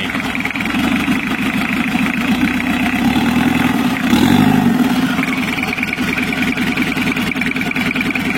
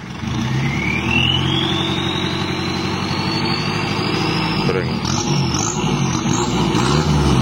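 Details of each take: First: 1982 Toyota Hiace LH11 2200cc diesel with newly fitted turbo, first start after restoration, not yet warm (38.4°C, thermostat closed): diesel clatter at idle with a thin, wavering high whistle that never steadies; turbo sounds rough and uneven, to be fixed later. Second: 1982 Toyota Hiace LH11 2.2L diesel with added turbo and swapped transmission, revving steadily as the turbo whistle rises in pitch with revs; turbo spooling normally, ready for test drive.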